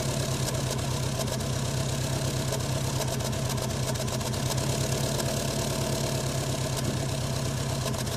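Cold engine idling with a lumpy, uneven low pulse and scattered ticks over the beat; a rough idle right after start-up.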